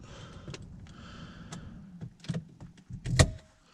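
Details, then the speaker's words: Saab 9-5 power window after overnight silicone lubrication of channels: low steady motor hum while glass travels, ending in a couple of clunks as it seats; no dragging; ticking is window unsealing, normal. "have improved a lot so that's ticking noise also that is the window unsealing so that's fine"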